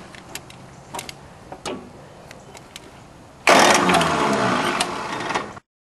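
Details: Small three-cylinder Yanmar diesel that won't start after a fuel filter change without bleeding: scattered clicks while cranking, then it catches and runs loud and rough; air in injector lines, bled from all three injector lines.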